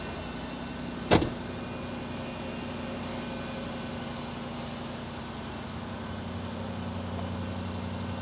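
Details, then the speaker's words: Range Rover Sport, 114,385 miles, at start-up: after the door thump, a steady, even electric motor hum as the air suspension compressor raises the vehicle, sounding really good. Air suspension compressor running normally. "There it goes. See, I told you. Mint. That sounds really good."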